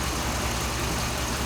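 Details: 2007 Dodge Ram 5.7 HEMI V8 after water pump replacement, warming up while bleeding air with heater on, coolant about 140°F at thermostat (opens near 200°F), no leaks; steady even low smooth rumble, no knocks or misses; healthy.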